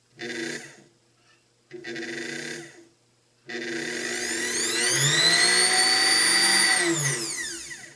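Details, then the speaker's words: Antique Kenmore sewing machine's original motor, test run after tune-up with old brushes reseated to mirror the commutator curve and a drop of oil on the bushings: short bursts, then a high, clean, steady whine coasting down smoothly; good strong healthy motor. "screams [Music] good strong motor I like it"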